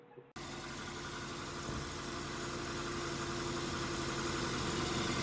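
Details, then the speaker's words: 2005 Nissan Sentra after new alternator and belt replacement: steady, even idle hum with no belt chirp or squeal; normal idle. "So, we finally got that new alternator in there. We got no squeak. It's sounding a whole lot [ __ ] better than it did before."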